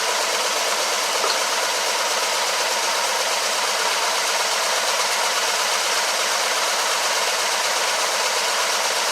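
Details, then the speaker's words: 2012 Mini Cooper Countryman after bottom-end rebuild (damaged cylinder 4 piston), first start-up chasing P0304/P0300: uneven, stumbling idle with irregular beat under loud hiss; cylinder misfire traced to disconnected number one injector. "found out that i had an injector that was disconnected luckily it was number one"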